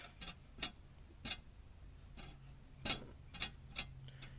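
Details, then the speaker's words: Small blower fan under the hard drive in a Dell OptiPlex 745 USFF computer: irregular sharp ticks, about one or two a second, over a faint low hum in a quiet room; really dry fan bearing, could possibly be oiled. "This fan has a really, really dry bearing, so I'm sure that could be oiled or something."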